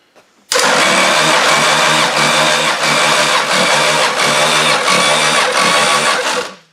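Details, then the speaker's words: Demolition derby engine, hot, cranking after compression testing (about 120–140 psi): fast, uneven, harsh cranking about two beats a second that sounds like garbage. Owner suspects the starter and will swap it; the engine may be worn out. "Let me see if that makes it sound any different, but it sounds like garbage."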